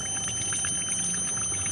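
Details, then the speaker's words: 2004 Lexus RX330 towed in as a no-start. Leak-down air pushed through a spark plug hole causes irregular gurgling bubbles at the open radiator neck, suggesting a damaged head gasket or warped head; a faulty intake manifold or gasket is also possible. "so the air escaping into the combustion chamber of course there's two two scenario here you can hear the bubbles"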